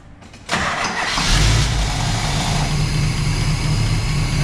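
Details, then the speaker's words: 1977 Pontiac Trans Am V8 after a carburetor rebuild, a new electric choke and plugged vacuum leaks: a brief crank, then it catches at once into a steady, even idle. Throttle response is better with the accelerator pump now working; normal start and idle. "yeah that's a lot better it's got better throttle response the accelerator pump is actually working now"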